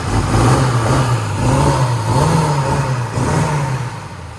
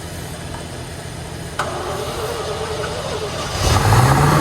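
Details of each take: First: 1960 Corvette V8, first start in over 20 years after brake work and plug wire sorting, in neutral: deep, steady burble rising and falling smoothly with light throttle blips, no knocks or misses; sounds healthy. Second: 1960 Corvette, first start in over 20 years after restoration, in neutral; starter turns engine at steady rhythm for a couple of seconds with no firing, crank no start; points suspected but then found to fire.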